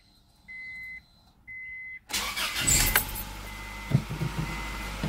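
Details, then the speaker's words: 2000 Honda Accord, once no-crank from a bad clutch safety switch: clutch in, two chime beeps, brief crank, then it catches at once and settles to steady idle after the nickel repair. Normal crank and start. "so there you go a nickel fix for a bad clutch safety switch in your car"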